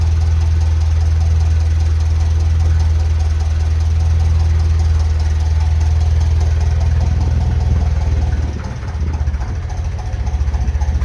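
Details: 1956 Ferguson FE35 TVO tractor after fitting a reconditioned radiator and a new fan belt: a steady, even low thrum at tickover with no belt screech, which had been heard before the belt change; healthy idle.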